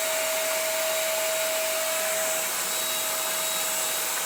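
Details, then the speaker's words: CECOR SD15 Sump Shark on battery power, on discharge setting emptying an estimated 50–60 gallons of tank fluid into a drum; steady rush of air, constant mid-pitch hum, no knocks or surging: normal operation. "So we can fire it up. We do have it under battery power right now. We got it on the discharge setting."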